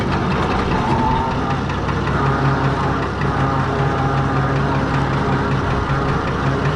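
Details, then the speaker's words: Fordson Major tractor with swapped-in six-cylinder Perkins diesel, second gear with slasher mower attached: deep even thrum under load, steady beat, no stumbles or knocks; engine very smooth and healthy. "very smooth not the the winding but the engine that's very smooth yeah the engine"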